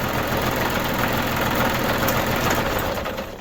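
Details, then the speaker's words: New Holland Boomer TC25D diesel tractor idling after a fuel filter change and air bleeding: steady, even clatter with no misses or surging, running smoothly and healthy. "And to be sure, like I said, you can do it while it's running. That's it. Sounds pretty good."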